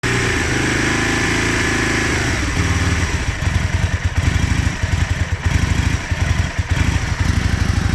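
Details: 2001 Aprilia Futura motorcycle struggling to idle: rough, uneven idle with stumbling, surging firing pulses as it barely keeps running. Filmed in winter 2021; the problem was never fully fixed.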